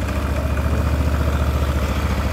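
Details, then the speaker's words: Scooter (motorcycle) with the crankcase cover removed, engine running at idle: a steady, deep, coarse rumbling roar with a grainy edge and no clean tone. "Nah, di sini masih ngaguruh teman-teman. Suaranya masih kasar sekali, dan kita coba nyalakan dengan kondisi motor dinyalakan."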